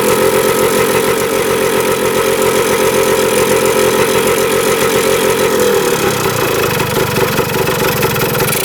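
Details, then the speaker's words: 1977 Kawasaki KE100 two-stroke enduro, first start in over 10 years, won't run without choke: crackles unevenly, surging, note drops and roughens near end, no steady idle; air screw turned in, gas cap vent suspected. "Heat doesn't want to run without the choke. Doesn't say idling. Let's try to get this thing to idle."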